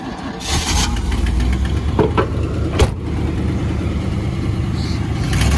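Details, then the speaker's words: 1991 Camaro RS running for the first time in years, moving in reverse: uneven low rumble that sags and stumbles under throttle, dying when given gas; sounds fuel-starved, fuel pump relays suspected, not yet confirmed. "It's dying when you give it gas, right? Yeah. All right, let's give those fuel pump relays a shot because it sounds like it's running out of gas."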